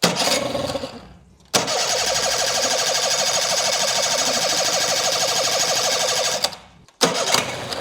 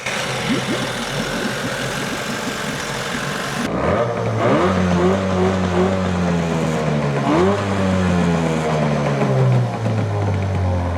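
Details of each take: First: Craigslist outboard after a carburetor cleaning catches and runs high, buzzy and slightly uneven for several seconds, then cuts out. Owner suspects the carburetor set screws (idle and mixture) need adjusting. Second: Used Evinrude outboard after carburetor mixture set-screw adjustment: picks up cleanly from idle and revs up and down smoothly with an even, steady beat; running normally.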